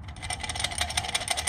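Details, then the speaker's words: Dirt bike rear wheel, removed and bounced on the ground: quick bright metallic clinks, about six per second, as loose sprocket bolts rattle at the hub. "that noise, that's not good. That is something that you got to check. I kind of forget to mention that in some of the videos, but yeah, you need to always check your sprocket bolts."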